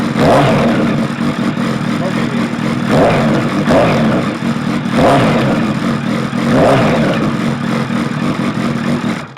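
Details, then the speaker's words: Suzuki Bandit 1200 with manual cam chain tensioner and Max Torque silencer, baffle removed: deep, open rasp swelling with each throttle blip and dropping back between; very loud free-flowing exhaust, likely to fail noise tests, so baffle stays in. "I've Got a Feeling with a baffle out that's going to fail Some Noise tests so think the Baff is going to stay in for a while"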